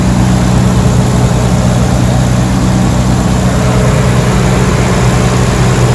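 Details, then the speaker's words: Nissan 300ZX Z32 twin turbo manual, unused for 17+ years, just started after new correct-spec spark plugs fixed a cylinder 4 misfire: a smooth, even, slightly fast idle with no misfire. "sounds beautiful at the moment doesn't sound like it's missing"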